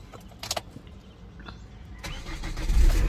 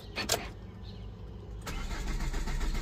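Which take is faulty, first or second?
second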